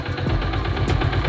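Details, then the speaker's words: Yamaha New Jupiter MX (135) carburetor idle set too low, as many workshops set it: slow, uneven low thumping, beat sagging as if about to die; engaging gear and throttling then needs more effort to pull away. "Itu rendah banget, dan ketika kita masukin gigi terus mau gas, itu butuh tenaga yang lebih untuk mendorong motornya agar motornya jalan."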